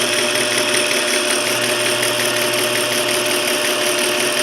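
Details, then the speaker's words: South Bend toolpost grinder, belt uneven in spots: even high-pitched whine at constant speed, no rumble, knock or rattle; pulley and spindle running nice and quiet. "yeah I mean the pulley running nice the uh the spindles uh quiet I think that's pretty good"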